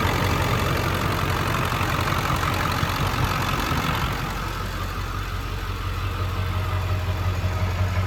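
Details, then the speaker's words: 2000 Ford Excursion 7.3L Powerstroke diesel, 2WD, stock, 192k miles, freshly serviced, warm; steady even diesel clatter at idle, no misses or knocks; normal idle. "All right, I'm gonna step out so you guys can hear it run. And I'll stop talking for a few minutes so you can hear it run."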